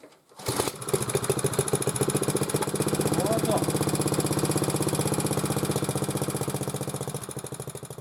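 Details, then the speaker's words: Hard-starting motor cultivator that stopped with a knocking last autumn and sat in rain and frost: after the plug was removed and fuel poured into the cylinder, the small single-cylinder engine starts and putters steadily; poor fuel delivery suspected. "Срочно, быстро берешь, отворачиваешь свечку, раз туда бензин. Он раз и заводится."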